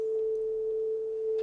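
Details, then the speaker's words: Pan pot of a 30-year-old Soundtracs Jade 32 inline analog console, swept left to right during a test-tone check: a clean, steady tone with no crackles, scratches or dropouts, so the pot is fine. "fine to me yeah great okay so the pan up is fine"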